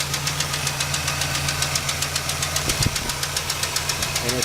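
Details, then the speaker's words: Petrol engine just after an oil, fluid and coolant change with detergent in the oil and fresh gas plus treatment; ran smooth at first, then after a hard rev a sharp even tick at idle, top of motor, passenger side toward the back: loose pushrod valvetrain tick. "so I ran smooth at first but now you're gonna hear a clicking noise from the top part of the motor on the passenger side I think"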